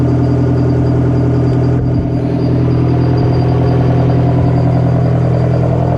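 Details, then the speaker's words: Detroit 4-53TIB two-stroke diesel, rebuilt to Silver Series, cold start outdoors in freezing weather after 30 minutes of Webasto preheat, no oil heater: deep steady drone with even low beat and no misses; healthy idle while warming. "we're going to do a c start for you if the battery will last in this thing well it's out here in the freezing cold"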